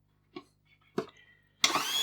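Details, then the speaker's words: Slush Puppie machine whose blades would not rotate, motor tested partly disassembled while watching its metal drive gear. Two light clicks, then a steady high whine and even hum as the gear spins; the motor itself runs fine. "Yeah. So that's spinning absolutely fine. Okay. That gear there looks absolutely fine."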